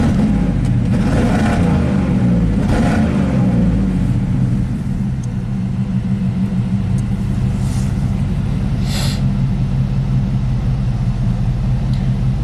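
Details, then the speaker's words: 1987 GMC 1500 plow truck V8, warmed up and under load in gear: deep, uneven rumble that sags briefly, a stumbling misfire; suspected secondary ignition problem such as the distributor cap, not confirmed. "during the Rev what did we see everything looked pretty good but it did stumble so let's keep recording"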